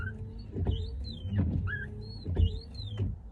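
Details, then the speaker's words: Windshield wipers with new DEA blades on a newly fitted cheap windshield: each sweep gives a rising and falling squeal and chatter as the blade reverses. Owner suspects the cheap glass, since the old wipers never squeaked before. "Прикиньте, всё равно скрипит. Вот так и покупаю дешёвые лобовухи."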